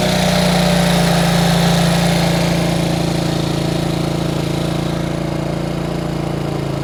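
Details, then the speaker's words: Bombardier Traxter 500 ATV with rebuilt carburetor, warm restart: steady quick idle of about four pulses a second that never settles lower, because the previous owner had turned the throttle cable adjuster out too far; being readjusted. "okay I figured out what was going on the previous owner had adjusted this knob out so far that it was idling up too high the cable adjustment so now I need to bring it back up a little"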